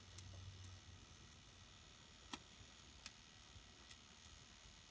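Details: Dualit 3-slice toaster, model 3SLUK, found in a skip, running with safety guards removed, three-slice setting and timer at about 1.5 minutes. Faint, sparse dry ticks from the timer while the elements heat with some crackling; normal.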